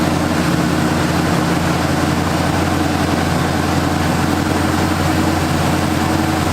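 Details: 1978 Ford Fairmont Futura inline six after GT40P head swap, Holley two-barrel carburetor, just started: loud, even idle rumble holding a steady beat with no misses, knocks or hunting; idling cleanly.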